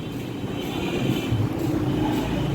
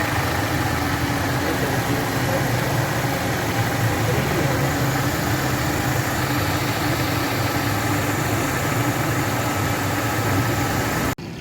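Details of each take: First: 2008 Mercedes-Benz C200 idles rough with an uneven low thump from a cylinder 2 misfire (code P0302) and a check engine light on. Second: 2008 Mercedes-Benz C200 after a P0302 cylinder 2 misfire, caused by water in the spark plug area, was fixed: the petrol engine now idles smoothly and evenly with a steady low hum and no stumble.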